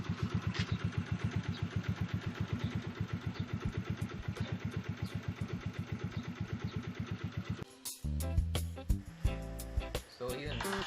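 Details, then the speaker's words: Yamaha Mio Sporty scooter after repair: steady even putter about four beats a second, no knock or rattle; noise gone and engine running well, test drive performed well. "Natanggal yung ingay tsaka umayos yung motor."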